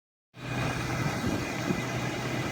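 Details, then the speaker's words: Ford F350 diesel truck, warm engine and transmission: steady low rumble with a thin, constant whine from the top of the engine near the black box, driver's side or center; dealer blamed the transmission, several dealers found nothing. "This is the noise the truck's making, and I took it to the Ford dealer in Colorado Springs. They're trying to say it's the transmission, but the noise is coming from the top of the engine over here."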